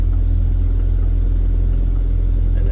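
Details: Rover P4 80 after fuel shut-off solenoid in carburettor was refitted: deep, even low rumble at steady idle, no misfires or popping, warming up before the shut-off backfire test.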